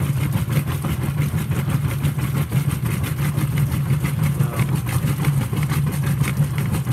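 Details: Whirlpool WTW5300SQ0 top-load washer after a new timer was fitted, small load, warm water, normal regular cycle, high agitation: steady low hum with even rhythmic swish-swish, no knocks or squeals, normal agitation.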